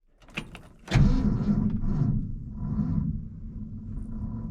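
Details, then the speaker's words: 1966 Ford F-250 restored truck cranking on the customer's weak battery: sharp clunk, then sluggish dragging churn that fades without catching; slow cranking from a weak battery. "It's got the customer's battery in it. And it's pile."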